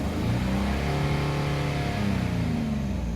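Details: 2002 Infiniti QX4 under light load: smooth-ish to 1700 rpm, then surging and dipping as throttle ramps, smoothing toward 3700 rpm; raw fuel smell, blinking check-engine light, P0300 then P0304 after coil swaps; engine misfire.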